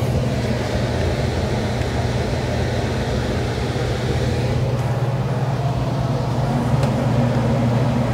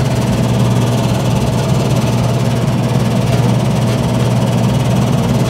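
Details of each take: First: Lennox unit during maintenance, after capacitor check and tightening connections: steady, even low blower hum with no rattle; return that previously rattled is now quiet, apparently fixed. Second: 2013 Lennox system, about seven years old, air handler with previously replaced blower motor: loud constant droning hum with buzzy vibration shaking the cabinet; technician is sure the noise comes from the blower motor.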